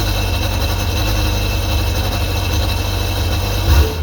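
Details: 2001 Sea-Doo GTX 951 DI two-stroke jet ski after rebuild, freshly started on the flushing hose: steady, even low-pitched burble at constant idle without misses or knocks; normal idle, sounds healthy.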